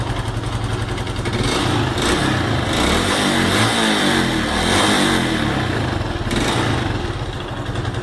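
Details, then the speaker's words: Honda Pop 110 at 34,000, owner complaining of engine noise: loud rattly clatter over the single's firing beat through revs. "a moto do Batman acabou de chegar essa daqui com 34.000 a 172 reclamando de barulho no motor"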